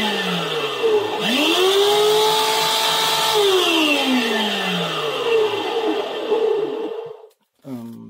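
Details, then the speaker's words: POLTI Lecoaspira 705 washing vacuum cleaner: motor spins up into a loud, strained hum with a high whine when switched on; suspected motor bearing. "суть поломки работает но при включении начал сильно худеть включаю"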